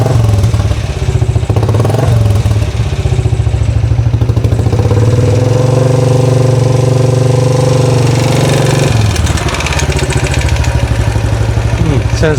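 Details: 2013 Royal Enfield Classic 500 single, first start after engine teardown and rebuild: loud, fast, uneven top-end clatter over a lumpy idle; owner wonders about rockers or pushrods, source unconfirmed.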